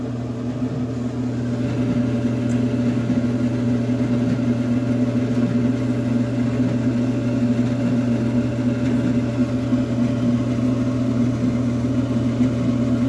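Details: Maytag Neptune gas dryer on quick dry cycle, about 27 minutes in, after gas valve solenoid repair for a no-reignite problem: gas valve clicks, then steady even hum with low burner roar, no rattles; flame relit, running normally.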